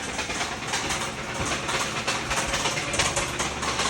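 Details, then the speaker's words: Kia Rio 1.6L GDI with failed engine, at idle: loose irregular metallic chatter about once per second, chatter felt through the engine; rod knock, engine dying, to be removed and torn down. "That is the sound of the dying horse. That one is bad. That's how it's sounding right now. And I can feel the chatter of the engine."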